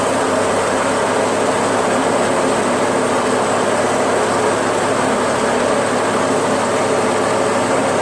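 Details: Toro Wheel Horse 616Z zero-turn mower, Onan 16HP opposed twin, after electrical repairs and jumper from ignition switch to solenoid: steady, even drone at one pace with no knocks, misses or surging; starts and runs normally.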